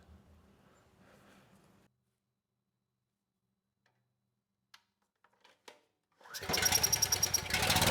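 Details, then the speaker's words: Husky HU5000 generator with a Robin Subaru EX30 engine, after turning the AVR adjustment two turns: the engine fires and a very loud, harsh buzzing whine comes from the generator end. Output measured 162 volts, an overvoltage caused by the misadjusted regulator. "Uh when I started the engine, that noise was very loud and coming from the generator side of things. So I checked the kilowatt real quick and saw we were at 162 volts."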